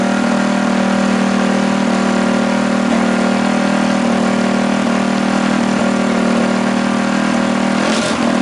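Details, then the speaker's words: Rebuilt Tillotson 212cc with governor delete, billet rod and flywheel, stock piston, header and PZ22 carb: revs hard, but the flat, strained tone won't climb further; the owner believes the PZ22 carb is too small. "I truly believe that that pz22 carb is just a little too small for what this engine is now currently putting out"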